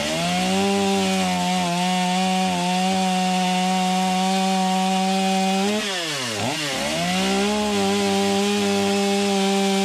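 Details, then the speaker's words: Stihl MS250 chainsaw cutting after new crank bearings and seals, which cured its earlier noise. Clean, steady high-rev scream bogs briefly as the bar bites, then recovers quickly, with no rattle or grind; normal cutting under load. "Sounds good. Not hearing a bunch of noise like I was before I replaced the bearings."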